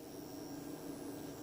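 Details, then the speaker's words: Anenji ANJ-4000-24V inverter: fine continuous crackle over steady electrical hum, stops when touching battery to inverter; owner suspects bad ground, source unconfirmed. "Так саме цікаве Ось він тріщить Я беру торкаюся акумулятора і тріск"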